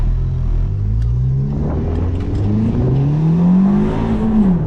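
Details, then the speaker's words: Ford Fiesta ST on a test drive under boost after new NGK spark plugs at stock gap: the engine note climbs cleanly and pulls evenly through a gear change with no stumbles or popping; normal acceleration. "Sounded great, acting great. Zero issues."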